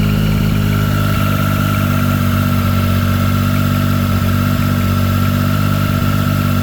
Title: Street triple 765 RS 2023 possible piston slap? Only audible when cold. Need help to identify